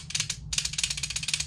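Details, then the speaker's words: Porsche 997/987 cupholder: rapid light plastic clicking, about fifteen a second, as the arm bounces loose because the plastic rod linking it to the tension spring has broken, leaving no spring tension; fix is reconnecting it without the plastic rod. "and then when this is inside the cup holder like so this piece is also going to be bouncing around inside this cup holder and that's going to be making noise"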